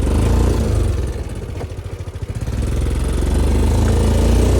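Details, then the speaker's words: 13-year-old 2011 Gen 1 CFMOTO side-by-side, loud, while driving with torque steer: engine rises and falls with a steady click about four times a second; something broken in the front diff. "It's on the tires? Yeah, it's something broke in the front diff. That's why it's clicking like that? Yeah."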